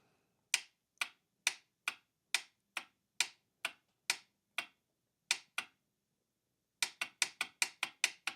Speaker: But, when I touch the up direction, you can hear that. That clicking is the solenoid. So, the solenoid is getting powered and physically working.